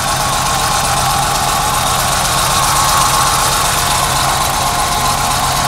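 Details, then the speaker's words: Ford Scorpio 2.0i GL, 200 km after repair, idling: a faint, steady high whine over an even idle; the drive belts are singing a little, which the owner finds odd. "dans les courroies elle chante un peu c'est bizarre ça"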